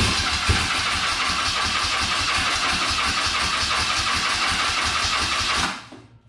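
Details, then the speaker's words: Circa 1983–84 BMW R65 twin, first start attempt on starting fluid: cranking with ragged, uneven firing and popping for a few seconds, then dies; carbs to be pulled and cleaned. "Alright, well, it was enough pops and bangs for us to Let's pull these carbs off and clean them out because I don't really want to run a bunch of junk through there."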